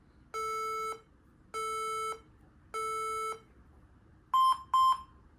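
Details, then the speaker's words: HP laptop at power-on with black screen: three long then two short beeps, 3-2 beep code, commonly a RAM problem. "Okay, so a really common cause of that beep code of 3-2 is a RAM problem."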